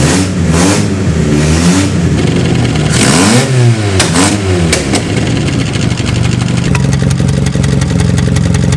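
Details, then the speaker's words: Toyota 4A-GE with bike carbs and a gaping exhaust manifold hole (failed wideband sensor adapter plate): hard revs with a harsh unmuffled snarl, then fast rattling ticks and popping as it settles; exhaust manifold leak. "we also answer another question before EG put a hole in the exhaust manifold not like I know like tractor with a monster truck engine or something yeah sounds like it as digestion problem"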